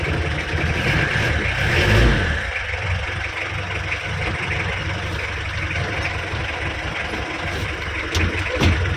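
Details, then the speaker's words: L300 pickup with a hydraulic clutch, after a repair for vibration on clutch release, tested once the cold engine had waited; engaging gear, pulls away smoothly with no shudder or chatter, vibration gone, clutch feels soft. "mantap ini koplingnya Empuk banget Empuk banget koplingnya"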